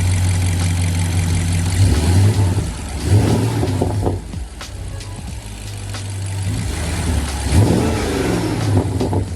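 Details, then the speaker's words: BMW 650i Gran Coupe after installing front-mount dual air intakes routed under the hood latch for more air and turbo spool sound: several clean throttle blips rise and fall over a deep, steady idle, no misfire or rattle; normal engine revving. "So we got both air intakes in there, getting more air ideally, and giving more of a turbo sound and a turbo spool."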